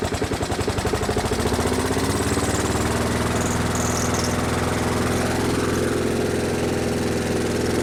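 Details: Brute lawnmower with Briggs & Stratton Classic single-cylinder engine, surging though not the carburetor: revs up unevenly then lugs down and nearly stalls; rough surging, cause not yet found.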